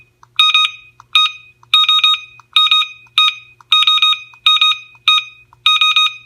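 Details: Airthereal WiFi water leak detector gateway (base unit) sounding its audible leak alert: loud, high, piercing chirps in quick clusters repeating about every three-quarters of a second; volume is adjustable.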